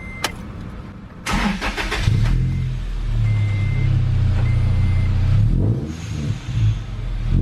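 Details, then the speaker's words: Manual supercharged Toyota Tacoma after an extra 22-inch, 5-inch-body resonator was added. The starter whirrs, then the engine settles into a deep, even idle with a subdued exhaust note and no rasp; it sounds much better. "This definitely took some noise out of it. Yeah, sounds much better."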